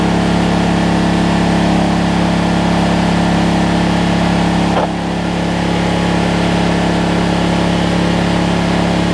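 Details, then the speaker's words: Generac 7500EXL generator running after unplugging faulty low oil sensor that cut spark: steady, slightly high-pitched drone with a brief dip, engine speed set a little fast, throttle being backed down. "She's running a little fast. Going down to about 120."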